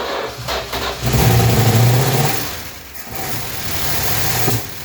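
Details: 1966 Chrysler New Yorker, parked 18 years, drip-fed fuel into the carb: engine fires and rises briefly, then sags and stumbles into a lumpy uneven run before fading; fuel starvation, carb needs a rebuild.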